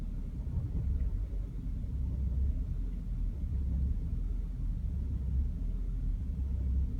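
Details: BMW E60 530i with N53B30 engine: deep low idle rumble swelling and sagging unevenly every second or so, idling rough, followed by the check engine light coming on.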